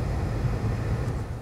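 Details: 2004 Toyota Sienna with the fan turned on after a new blower motor replaced the noisy one: steady, even low hum with no rattle, squeal or ticking; the noise is gone and the blower runs normally.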